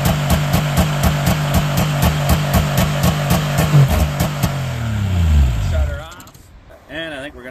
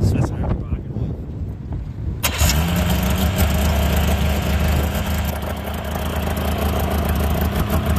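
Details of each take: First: 1998 Yamaha V-Max 700 snowmobile (triple) in pre-season tune-up, running without throttle touched at a high idle: rhythmic bouncing surge about twice a second, then sags and dies, as the throttle override switch cuts the engine in and out. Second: 1998 Yamaha V-Max 700 snowmobile during its pre-season tune-up: after the throttle override cut-out was fixed and the high idle was screwed down, the engine catches quickly and settles into a steady, even, low idle with no hunting; normal idle.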